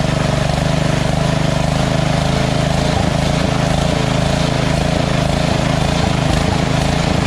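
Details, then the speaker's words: Lawn tractor engine after the surging carb was replaced with a Chinese-copy Nikki 590399 on an O-ring manifold, backward 90-degree fuel nozzle (surging blamed on fuel starvation): even, steady putter at idle, no rise and fall; no surge. "got that uh carburetor running well and it doesn't surge right and um because of that uh fuel nozzle with a 90 degree backwards that always fix the problem so now that engine doesn't surge"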